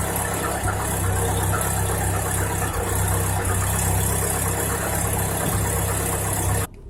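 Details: Cold-start knock on a 2018 Chevrolet Niva: uneven light knocking riding over the low idle drone of the cold engine; cause not yet determined.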